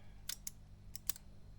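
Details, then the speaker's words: Marshall DSL 201 20 W guitar amplifier with channel-switching fault, on standby on the bench: crisp isolated relay clicks over quiet mains hum; relays pulling in normally. "you can see that I can hear the relays clicking"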